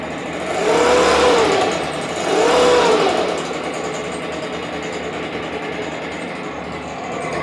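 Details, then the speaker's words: Stihl BG86 blower two-stroke idling while handle is pressed down to check for air leaks: buzzy idle swells in pitch twice and drops back; unstable idle suggests an air leak, possibly a loose isolator block screw, not confirmed. "so I'm gonna start it up and then listen to the RPMs pick up when I lean down on the handle"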